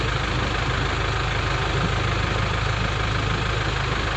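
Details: Nissan Terrano with FS5R30A 5-speed manual diesel gearbox: steady diesel clatter at idle, even low rumble, no whine, rattle or grind from the gearbox; sounds normal, checking whether sound changes with clutch pressed.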